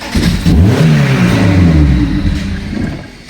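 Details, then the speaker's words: 2001 Lotus Elise (year as told) with fuel pump humming, started only with two wires bridged as it arrived; engine catches and revs briefly then dies within about three seconds, anti-theft immobilizer cutting it out. "смотрите как раз Не запускался почему потому что машина прил ко мне в таком состоянии Вот это два провода зака даже видели и всё машина заглохла"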